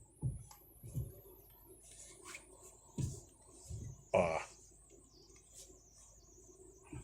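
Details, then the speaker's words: Fiat Argo (also Mobi/Cronos) at 46,602 km: sharp irregular clunks from the steering column when the wheel is turned left or right while parked or slow, jolting and vibrating the wheel. "quando você vira a direção com ele parado ou devagarinho um estalo na direção se Vocês conseguem ouvir vendo pessoal Toda vez que você manobra tanto para esquerda ou para direita da esse estalo chega a dar um tranco no volante e uma vibração ó tá vendo"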